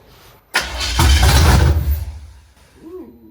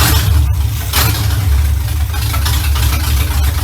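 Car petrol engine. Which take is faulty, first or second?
first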